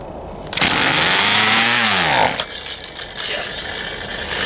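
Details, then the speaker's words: Poulan Pro 222 38cc chainsaw, before the repair: the engine catches and revs for under two seconds, its pitch sagging before it dies. Fuel is not being delivered because the fuel lines were routed incorrectly. "as you saw it wanted to run but it just it wouldn't so did a little digging into it more and some research and realized that whoever plumbed those fuel lines did not Plum them correctly"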